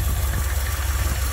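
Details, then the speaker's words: Ford F100 V8 in Park, carburetor idle speed being lowered by ear while reading 11 to 12 inches of vacuum: deep V8 rumble with slight lope rising and falling as the idle screw is turned; too low makes it stumble. "right here you Crank It Up engine goes up go down so it doesn't Direct you go too low you'll hear the engine stumble go back the other way that sounds good"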